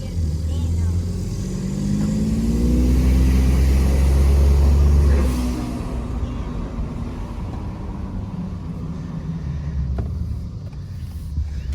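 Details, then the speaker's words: 2020 Ford F-150 EcoBoost with aftermarket intake, turbo silencers (vortex generators) still installed: pulls up smoothly under boost, steady deep drone, clean rise, no whistle or flutter. Normal turbo acceleration. "Sounds like it might be a little cleaner. Runs the exact same."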